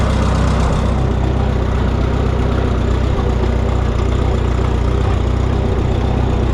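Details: Minneapolis Moline GTB tractor with a temporary coil: steady, low, lumpy idle with an even beat and no knocks or misses after the unplugged coil was reconnected; starting and idling properly.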